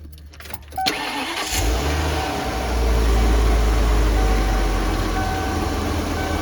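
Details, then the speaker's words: After replacing the failing cylinder-one ignition coil: starter cranks briefly, engine catches cleanly and settles to a steady, even idle with no misfire stumble; running healthy. "you see it runs fine"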